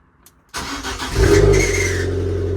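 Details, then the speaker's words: Abarth Fiat 500, freshly serviced (oil, filter, air filter, engine earth wire replaced): brief cranking with a thin high squeak from the starter motor, then the engine starts fine and settles into a fast idle. "let's start it up I think on start up you might hear a a little squeak"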